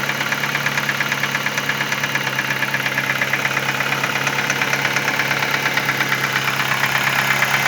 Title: My Ford Focus 2010 , engine sound problem